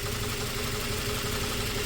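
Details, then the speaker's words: 2004 Toyota Tacoma 4-cylinder, 141,000 miles, idle after swapping injectors: rough, lumpy exhaust note with uneven beats. The misfire moved from cylinder 1 to another cylinder with the injector, which stops working when heat-soaked. "Yep, that's right. When that injector gets heat soaked, it stops working."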